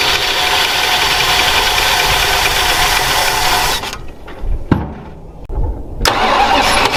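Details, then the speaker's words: 46-year-old Plymouth Volare 318, sat 20 years in desert, first run off its own fuel tank: runs, then cuts out, stumbles and dies, not pulling fuel; suspected clogged sock in tank or rubber line at tank. "We're out of fuel. not out of fuel. It ain't pulling it though."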